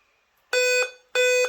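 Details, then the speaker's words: Dell laptop: loud steady beeps at power-on until Windows starts and again at shutdown, caused by failing motherboard CMOS battery; replacing battery stops it. "Ó, aí você liga ele. Ele dá esse bip. Aí quando ele inicia o Windows, ele para."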